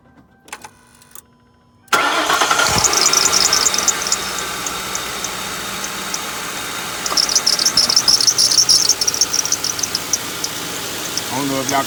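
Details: 2007 Lincoln Town Car engine before its idler pulley was replaced: it catches and idles with a constant high chirping squeal, typical of a worn idler pulley bearing.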